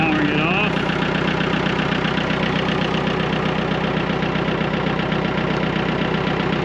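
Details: Massey Ferguson MF-255 diesel tractor that had not been starting, now running, heard from a distance; steady, even diesel chug at constant idle with no knocks or misses; normal running.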